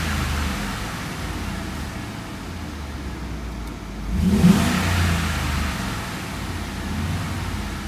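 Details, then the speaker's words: Audi RS6 C5 4.2 V8 biturbo after exhaust system repair with engine out and leaks fixed: runs smooth, blips up cleanly and back down with a deep steady note, no droning or exhaust leak; resonance noise gone. "Et sellel kadus see hääl ära, mis teatud pöördega tekkis, see resonantsi hääl."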